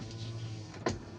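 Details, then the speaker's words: 2003 Toyota Kijang LGX 1.8 EFI, petrol, manual: a rear power window motor gives a smooth, steady hum ending in a soft thud as the glass seats. Normal power window operation. "aman. Untuk belakang aman bekerja dengan normal."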